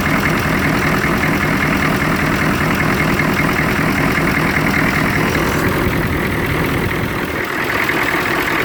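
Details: 1993 Chevrolet K2500 6.2 diesel: uneven lumpy idle clatter about two and a half pulses a second with vibration; rough idle.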